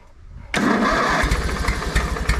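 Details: Older Briggs & Stratton Sentinel by Murray ride-on mower, bought non-running, first start after starter motor drive gear repair, battery charged: engine catches instantly with no starter grinding and settles into a quick, even chugging run.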